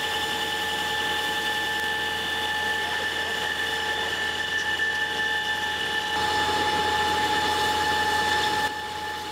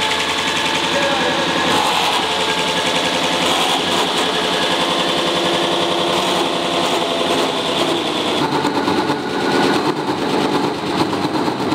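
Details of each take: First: Big lathe deep-hole drilling hard steel with a tungsten carbide-tipped drill and through-drill coolant: steady even machining whine with coolant hiss, cutting smoothly before the support roller bearing failure. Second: Big lathe deep-drilling hard steel with a coolant-through tungsten carbide drill. A harsh, fast rattling grind turns rougher and more chattering midway as the upper support roller bearing fails, having been run too fast; sparks seen.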